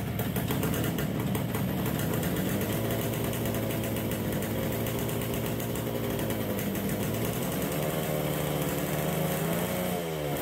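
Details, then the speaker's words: 1969 Yamaha DS6 two-stroke, carbs just reassembled with new float bowl gaskets, fresh premix, warmed up: runs rough, won't idle, revs sag and very boggy on throttle; carburetors suspected, compression unchecked. "so there's definitely something going on with our carburetors we don't want to idle we're very very boggy when we get on the throttle"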